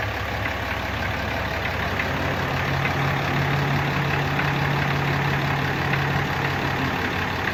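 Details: Brand-new 2018 Ram with 6.7 Cummins diesel at idle: light, uneven rattle riding over the clatter; the source can't be pinned down by ear.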